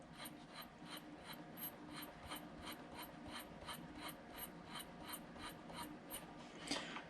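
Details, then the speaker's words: Hornby Advanced Passenger Train coach after about two weeks of use: rapid high-pitched chirps, about two a second, from the wheels rubbing the copper pickup contacts; pushing the contacts together stops the squeak. "so the problem is definitely uh the wheels touching the um copper contacts here"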